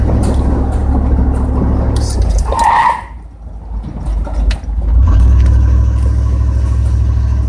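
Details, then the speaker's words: 1994 GMC Sierra 3500 5.7L V8 on a drive after a transmission fluid change: engine drones loud and deep, holding high revs with no upshift; transmission stuck in first gear, speed sensor suspected. "I think you'll be able to clearly hear the fact that it's sticking it first by the way the engine is revving and how loud is getting"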